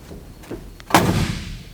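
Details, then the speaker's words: Solid, heavy deep thud like a bank vault as the original, never-repainted door of a survivor 1963 Cadillac Coupe de Ville shuts, no rattle or tinny ring; normal door closing. "And compared to 2024 cars today that sound like a soda pop can when you close them, this is the way a door should sound when it closes."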